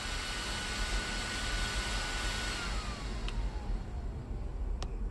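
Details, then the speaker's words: Arrma Kraton 8S on first power-up: after the battery is unplugged, the capacitor pack keeps powering the fans and light briefly, fan whir pitch sliding steadily down as charge drains; normal. "the capacitor pack. Still holding a little power to power the fans and the light."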